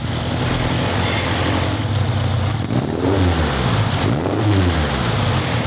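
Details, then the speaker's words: Van Diemen RF85 race car test run after rear-end reassembly and a new muffler, with a carburetor rebuild still pending; low, lumpy note surging and sagging, revs wandering instead of settling; unsteady idle, carburetor may need work. "But you'll notice I might have to work a bit on the carburetor."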